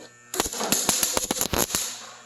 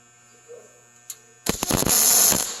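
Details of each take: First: MIG welding tack welds joining Chevy and Ford truck beds: wire-feed arc crackles with sharp, uneven popping and banging from poor electrical contact. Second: MIG welding Chevy and Ford truck bed panels together: after a quiet hum the arc strikes with a few pops then settles into a steady, even crackling sizzle, a solid weld with good contact.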